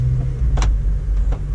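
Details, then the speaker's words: 8th-gen Honda Civic Si at 80,000 miles, driving after a front-end part that had been scraping and banging was bent back: steady low road rumble with no scraping, rubbing or clunks. The front end sounds healthy. "all seems well I don't hear nothing I hope I meet it enough and hopefully it just stays fixed"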